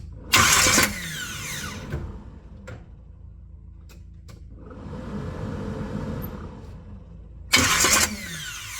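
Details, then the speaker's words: Starter cranking on an '83 Buick Regal G-body after installing a Powermaster PowerMax Plus mini starter (713-9004), replacing one with hot-start no-crank trouble; distributor disconnected so the engine doesn't fire. Two crisp bursts, clean flywheel engagement, no grinding: normal. "So that sounded really good. I also slowed down the video a little bit just to see if it was going too far out or not far enough into the flywheel. So no grinding, anything like that. It sounded good."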